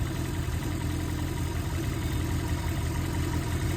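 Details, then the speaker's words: Nissan SR20VE VVL head with Kelford 184T cams, valve lash in spec, idling: a light regular tick tick from the valvetrain that stops when VVL is activated manually and returns when off, traced to the VVL rockers. "You hear that noise? That tick tick tick tick. Watch. It'll go away. Gone. Now it's back. Hear that? That's tapping."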